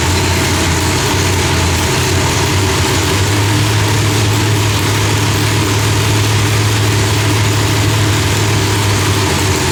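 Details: Deep, steady rumble from a big V8 at an even idle with no pops or backfires, ignition firing cleanly after the distributor trigger was switched from rising to falling; timing was about 6° off; different heads, idle still being fine-tuned.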